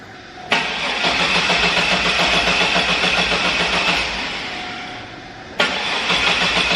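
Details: 2002 Chevy S10 Xtreme 4.3 Vortec, just after a cold air intake and throttle body spacer install with the MAF sensor re-clocked. The coil wire was left unplugged at first. It cranks briefly, catches cleanly, settles to a steady, even idle and restarts crisply: normal start.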